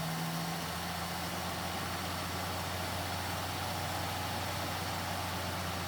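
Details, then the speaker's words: 1959 Plymouth Suburban long-stored barn find, first start: very quiet, steady low hum, even tone, no knocks or misses; smooth normal idle. "that's so quiet i can't hear it run"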